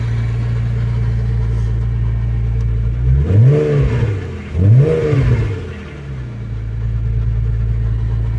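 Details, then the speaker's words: 2001 Porsche 986 Boxster S 3.2 Tiptronic just started, at idle with no exhaust baffles (dB killers) fitted: a deep, loud burble and two quick throttle blips, with no drone at tick-over; loud exhaust without baffles. "so this is what it sounds like without the baffles it's just being switched on it's just G gone onto the lower tick"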